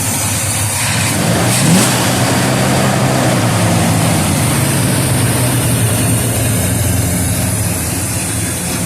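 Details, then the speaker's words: 1969 Oldsmobile 442 V8 revving after plugs and compression test (150 psi, number two 145), warm not cold after half-hour rest, slightly rich: deep lopey cam rumble, revs rising cleanly and settling evenly; healthy engine, nice cam. "So that sounds good, man. Good cam. That's a real nice cam. It sounds good."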